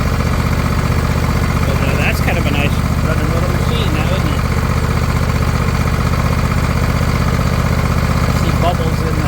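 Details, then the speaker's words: John Deere LA120, owner thinks a 21 hp Briggs twin, 204 hours, half throttle, no choke, fuel filter now full of fuel: a steady, even, quiet thrum with no surging or sputtering, running smoothly. "fuel filter hope if I've seen bubbles before appears to be working we saw some more stuff flowing out of the tins nice and quiet"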